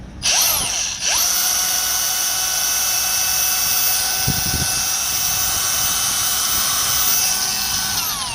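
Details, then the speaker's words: Brand-new Milwaukee M18 125mm angle grinder (M18CAG125) straight out of the box, free-running: a high steady whine spins up and holds with a tight, strained edge; motor sounds wrong and smells electrical, cause unknown. "Doesn't sound right."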